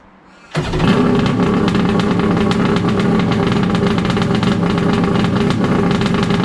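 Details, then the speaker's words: Wave Blaster after a 701 to 1100 two-stroke engine swap, first start with the exhaust pipe rubber seal removed to improve water flow: engine catches into a loud, steady, even buzzing run, no knocks or misses; healthy. "We finally started it up. Sounds like a damn beast."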